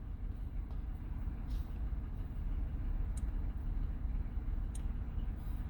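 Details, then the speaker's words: 2014 Toyota Highlander 4WD with check engine and traction-off lights, code P0303; quiet idle with irregular stumble, misfire counter shows cylinder 3 misfiring badly while other cylinders read zero. "but number three is missing very bad you see it's counting"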